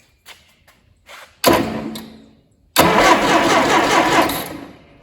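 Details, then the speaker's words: Allis Chalmers D17 tractor, first start attempt in chassis with test light grounded at battery: starter spins the engine freely in steady bursts but it never catches; coil not yet powered. "That's good. Okay, so she's turning over freely, which is good."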